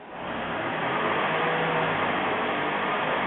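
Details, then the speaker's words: Toyota Prius hybrid in park: pressing the gas kicks the petrol engine on, building to a smooth, even rising drone with no knocks or rattles. Normal hybrid engine start in park. "when I hit the gas you'll hear it kick on it'll kick on the motor actually because I'm in park and it knows this"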